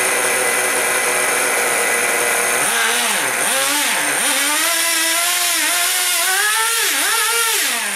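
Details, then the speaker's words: Traxxas Sport Maxx/T-Maxx 2.5 nitro engine, revived after four to five years sitting and a suspected vent-line fuel problem: high buzzy revs in quick bursts, clean steady pitch tracking the throttle; runs great. "runs great all right uh so yeah clean it up a little bit while I was waiting for my pack here to charge"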